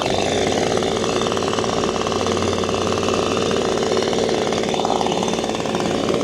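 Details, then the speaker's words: Six-year-old Echo PB-250LN handheld two-stroke leaf blower, new spark plug fitted, warmed a couple of minutes, full throttle: steady buzz stuck at one flat pitch, never climbing to a crisp high rev; won't rev out, cause unclear, air filter next. "shine where they rev out. It's just not doing it. Maybe I'll let it run a little bit longer."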